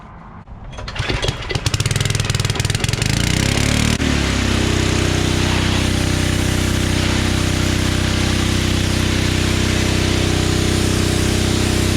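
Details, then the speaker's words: Generac 01292-2 pressure washer after a carburetor replacement, fluid flush, pump bearing and oil repair, and a new nozzle: rough cranking catches within seconds and settles into a steady, even single-cylinder drone with no misses; it runs healthy. "All right, so verdict is this thing is actually a pretty good power washer. I replaced that nozzle on there and it seemed to really start working a lot better."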